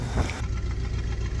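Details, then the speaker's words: Chevy V8 plow truck, running on a spare ignition module with cylinder 1 plug wire disconnected: deep lumpy idle with uneven loping beat, one cylinder dead; misfire, running on seven cylinders. "listen to that thick cam she has that's cuz we uh we don't have cylinder 1 hooked up runs pretty good on seven cylinders"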